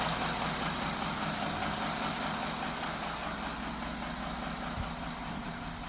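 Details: 2017 Audi Q7, bought four months earlier, idling: soft, fairly regular knock about two to three a second; engine knocking at idle.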